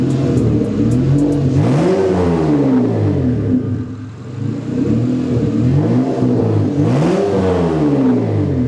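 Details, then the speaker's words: Turbocharged V6 Honda Accord with custom intercooler piping newly connected, untuned, still burning stuff off: light blips rise and fall smoothly with a soft turbo whoosh, now more apparent; sounds healthy, normal revving. "Definitely still burning some stuff off, but that sounds awesome. Turbo noise is a little bit more apparent with all the piping connected."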